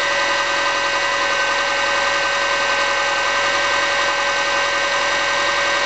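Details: MY05 Subaru Forester EJ25 naturally aspirated flat-four, about two years old, at steady idle with a dull, fairly irregular light rapping knock riding over it: piston slap.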